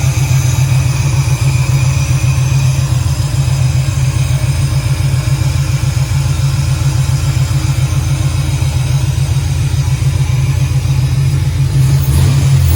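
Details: 1968 Camaro V8 on early start-up, Holley EFI without correct injector data, idle not yet adjusted: deep even burble, no knocks, ticks or misses; a bit smoky from oil in cylinders, oil pressure shows error; normal running.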